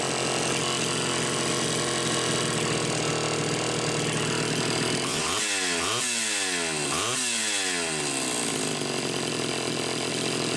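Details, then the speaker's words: Super XL Automatic chainsaw, reported smelling hot, on ethanol-free TruFuel, almost warmed up: crisp idle then three quick throttle blips rising and falling cleanly, no lag or bogging; healthy. "it's definitely almost almost warmed up I would say you'd have no problem cutting right now you wouldn't have any throttle lag"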